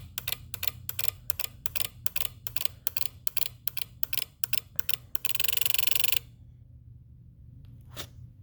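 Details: 2018 Jeep Wrangler JL with aux battery hooked up to a charger: sharp, dry repetitive electrical clicks about four a second, ending in a brief buzzing burst, then quiet.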